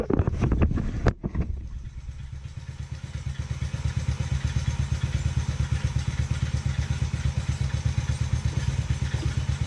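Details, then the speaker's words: Taotao 125, fresh oil change, idling before warm-up: quick, uneven light ticking from the top end, about three a second, over a low steady thrum; it typically goes away when warm, but the cause is unknown and the engine is to be inspected. "It goes away once it's warm, typically, so I'm not too worried."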